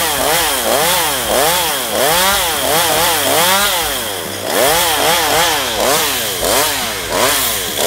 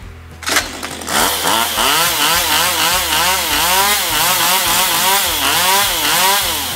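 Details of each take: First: Stihl MS192TC chainsaw cutting after a carburettor adjustment for hard starting and unstable running: revs dip under load about once a second and recover cleanly; running normally, though owner wonders if it is near end of life. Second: STIHL MS192TC chainsaw, reported hard to start and unstable: revs surge up and down about every second with odd pops, never settling; carburetor adjusted as the fix, possibly end of engine life.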